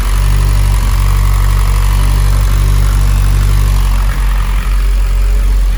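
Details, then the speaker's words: Mitsubishi Evo X with big turbo, newly fitted ID1050 injectors and ECU map adjusted for them, first start with fuel pump and wideband on: steady, even low idle, smooth drone, no misses or knocks; normal idle. "we're gonna turn the fuel pump on and also the wide band and hopefully it starts up that sounds good"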